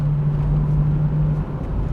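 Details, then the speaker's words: 27-year-old VW Corrado VR6 with JetX aftermarket exhaust, light cruising: deep steady even low boom, more boominess than the standard exhaust; car also has known banging, shuddering rattles and a possibly stiff throttle cable. Aftermarket exhaust drone. "But yeah, listen to it now. The JetX has got a little bit more boominess than standard."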